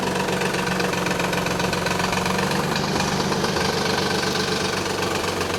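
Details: 1991 Nissan 300ZX at idle: busy, uneven knocking rattle about four per second, fixed; the timing belt tensioner had collapsed, leaving too much belt play, and upper and lower idler pulleys were noisy too. Noise faded once warm.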